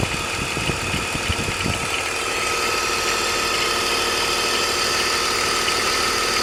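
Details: BMW E46 engine at idle: irregular low ticking for a couple of seconds under a steady high whine; abnormal engine noise, source not identified.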